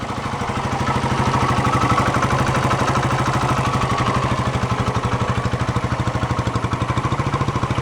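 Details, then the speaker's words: 1972 Honda SL125 single-cylinder at idle with the air box off, so carburetor intake noise is audible; stock exhaust, old carb suspected of a worn float. A steady, quiet putter of about three pulses per second with no knocks: normal idle. "that sounds good nice and quiet stock"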